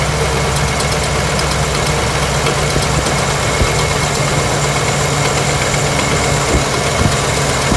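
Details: LS V8 with a cylinder 5 misfire, ignition and fuel ruled out, low compression on that cylinder, running with the valve cover off and the PCV hole plugged: a lumpy idle with a steady stumble and light ticking. The cause was a holed piston.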